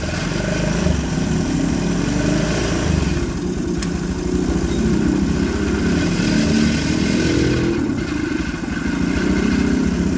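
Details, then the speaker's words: Honda Scoopy FI scooter at idle; steady low drone with a gritty, sandy edge from the middle of the engine; crankshaft bearing found with play and rough feel, to be replaced with an original bearing. "didengar ya kondisi si di awalnya ini seperti suara pada bagian tengah ya atau suara lahar kroas"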